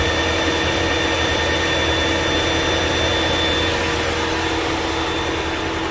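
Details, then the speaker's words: 2022 Ford Maverick Hybrid after fixing no-crank, no-start, no-dash-lights fault caused by a broken rear-battery power cable eyelid connection, reassembled; steady even hum with faint constant whine, no misses or knocks; everything working, no codes, normal running. "Well, now everything's working real good."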